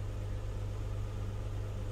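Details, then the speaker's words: 2008 Town & Country 4.0 V6 minivan, warm, at idle: low, slightly uneven hum that misses on cylinder 4 (P0304) only at low idle; coil, plug and injector were swapped from cylinder 4 to 6, but the misfire stays on 4. "2008 country miss fire cilindro 4 la camioneta solo falla en aero en baja fíjense cuando está caliente empieza a fallar"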